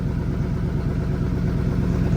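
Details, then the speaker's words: Rusted-through exhaust on a truck long parked for years, heard after a burnout: loud, deep chuffing idle with a raw unmuffled puffing pulse as exhaust leaks out before the tailpipe; exhaust leak. "I think it's just a one-legger, but the exhaust is rusted out right there. That's why you can hear. Well, I can hear the exhaust coming out from here."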